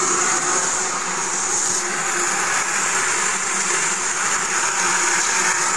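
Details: Mercedes G400 engine: a constant high whir with a steady hiss over a quiet low end, like a blender spinning. An abnormal whirring noise of unknown cause.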